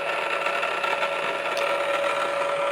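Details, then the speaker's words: Reverse osmosis system control valve motor cycling into a manually started automatic regenerate backflush (two buttons held 4 seconds, 10-minute cycle); steady even mechanical whir with a clear mid-pitched hum; normal valve motor cycling. "And then once it's complete, you'll hear the motor cycling itself, and then"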